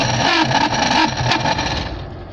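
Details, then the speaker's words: Heater blower just switched on after thawing a frozen engine: a loud rough whooshing roar with a wavering scraping edge that tails off as it shuts down; noisy heater fan, cause unknown. "какими-то ужасными звуками печка работает аж уши закладывает"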